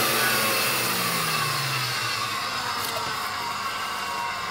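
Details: Electrolux 612E vacuum, fitted with new brushroll, run outdoors: steady high-pitched motor whir settling to an even note after switch-on; vacuum motor runs normally.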